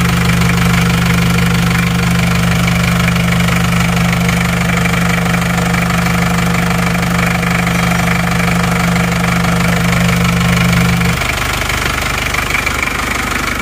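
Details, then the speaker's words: Isuzu Panther 2.3 diesel after new liners fixed heavy blow-by smoke from the breather under the engine, warm with thermostat fitted: steady, even clatter with a smooth low drone, no misses or knocks; normal idle. "kita lihat buangan bawahnya langsung sudah aman gak ada asapnya asapnya tipis-tipis banget walaupun mesin sudah panas"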